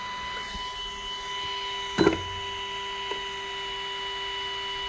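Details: Micro e-bike with a modded throttle, run after the controller neutral setup: a steady, even high-pitched whine with one brief click midway; the small hub motor spins normally under throttle.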